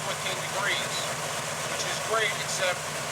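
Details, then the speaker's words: 1963 Chevy C10 pickup, 350 small-block V8 with four-barrel carb; after advancing initial ignition timing by turning the distributor counterclockwise, the idle is smooth and even but raised, and the idle speed now needs bringing down. "now you hear the idle idling smoother but it's also idling higher so it's a delicate balance"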